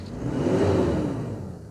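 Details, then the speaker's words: 1993 Toyota Hilux Surf with the 3.0-litre four-cylinder diesel and automatic, JDM import, at idle just after start-up: a steady rushing roar that swells and fades over a rough, vibrating idle, mostly cooling fan noise. "mostly what you can hear is cooling fan."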